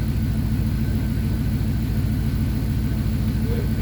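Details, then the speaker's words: Abandoned Dodge Dakota R/T 5.9 V8 truck idling after being revived; smooth, even low burble with steady pulse, no misses or ticks, smoother than a silver daily-driven truck; normal idle. "wi rotors don't sound like it needs anything damn this truck runs smoother than his silver truck which is a daily"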